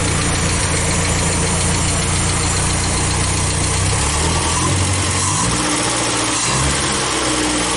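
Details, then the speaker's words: Scout 80 after steering column work, carburetor untouched, oil bath air cleaner not yet fitted, choke not rigged: fast lumpy idle with uneven pulses and rattle that won't settle low; owner thinks idle setting is the cause. "it still couldn't idle all down low enough I think it's how I have it set right now"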